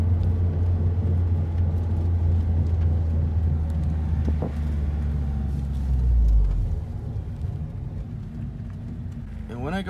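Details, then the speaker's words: Mazdaspeed3 driving: loud road roar and low drone, a minor thud going straight, rubbing noise on left turns that tracks speed; worn front wheel bearing, later confirmed. "but whenever I take a left turn it actually you can hear the thud or I guess that's not a thud but it's sort of like rubbing or some sort of noise that does correlate to the the speed that you're going"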